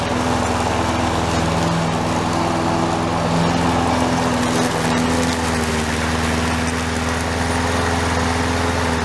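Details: Toro SR4 mower single-cylinder engine after repair, oil drained from overfilled level to proper level: steady even speed without misses or knocks; running normally.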